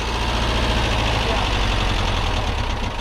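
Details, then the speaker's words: Porsche 914 flat-four with carburetors, first start after some work: the idle lopes and stumbles unevenly, running on three cylinders because a spark plug lead came off. "That three was three cylinders. That was 3 cylinders? Yeah, the it one came the out. spark plug."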